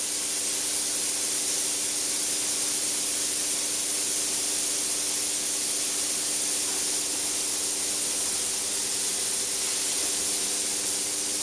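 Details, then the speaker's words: Pierro Silver 3 Group traditional espresso machine under heavy load: one steam arm and one group running continuously together; steady even dry-steam hiss without sputtering or surging, boiler gauge holding 0.9 bar unmoved; normal, stable steam wand operation. "You can still hear the steam still running, the group still running. The gauge has not moved a millimetre."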